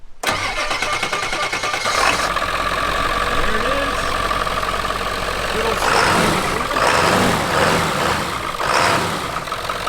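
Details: 1997 Ford F-250 4x4 7.3 Powerstroke diesel, repaired after a long-standing no-start and long sitting: the starter whirs, it fires within two seconds and runs on with a steady clatter, revving slightly at times; normal start and idle.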